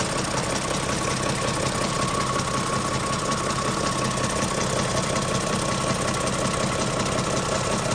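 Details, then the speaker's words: Toyota Camry engine before dealer repair: steady clattering knock about two to three beats a second over the running engine, a rattly diesel-like knocking, ticking chatter traced to a weak timing chain tensioner. "none of that knocking ticking clattering diesel like somebody even said in the comments and I was like yeah somebody said our our car sounds like like an old diesel car"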